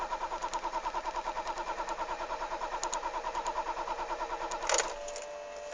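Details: Starter cranks at a steady rhythm of about three beats a second for over four seconds, but the engine never catches; crank no start.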